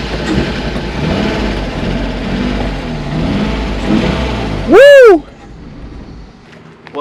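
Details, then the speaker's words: BMW E36 crank-no-start, spark and fuel present, about 90 compression on one cylinder, intake boot not fully connected: cranks, catches, runs rough briefly then dies; owner suspects compression problem, not confirmed. "uh started up and ran there briefly but then it kind of uh died"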